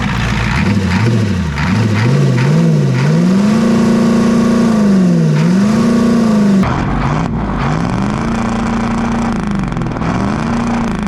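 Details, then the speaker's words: 7.3 IDI diesel just revived, running after more glow plugs; air in the fuel system suspected. Clatters with speed repeatedly swelling and easing back, then settles at a raised idle; the fast idle still works normally. "oh oh the fast idle still work that's awesome"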